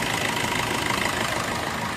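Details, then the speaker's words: Maruti Ertiga petrol engine idling after new bearings and a new belt were fitted: a steady, even hum with no squeal, chirp or bearing whir; the earlier noise from the worn bearings is gone. "ਆਹ ਤੁਸੀਂ ਦੇਖ ਸਕਦੇ ਜਮੀ ਸਾਲੈਂਟ ਹੋ ਗਿਆ ਆਪਾਂ ਨੇ ਇਹਦੇ ਵਚ ਨਵੀਂ ਬੈਲਟ ਵੀ ਪਾਈ ਹ ਠੀਕ ਹ"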